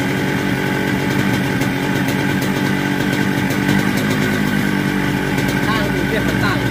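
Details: Yamaha RX King two-stroke with 125Z head, rebuilt after very rough engine noise with new connecting rod and cylinder block, rotor rubbing ground clear: crisp steady buzz picking up cleanly on throttle, no knocks; normal revving.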